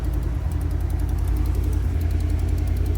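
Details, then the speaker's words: 2010 GMC Savana V8 van, after a crank no-start traced to a likely broken wire from ECM to relay; even steady idle with a light regular tick of three to four per second, valve or exhaust tick considered normal. "the valve ticking or the exhaust tick that's normal"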